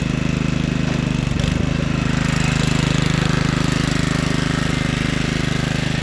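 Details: 1997 Craftsman II 30" rear-engine riding mower, 13.5 hp Tecumseh engine, another test run after electrical and tire repairs: steady, even single-cylinder thump, smooth low drone, no shake or rattle; quiet, no vibration. Normal running.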